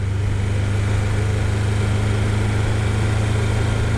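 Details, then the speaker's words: Triumph Daytona T300, warmed-up engine at idle after switching the fuel tap to prime: uneven, lumpy beat with irregular pulses, not firing on all four cylinders. The fault is intermittent; the owner doubts the carbs and suspects the fuel tap or the crankshaft position sensor. Engine misfire. "i'm not firing on four cylinders it can't be the bloody carbs again dude i've heard them off three times oh it's a bad shape it's a bad shape"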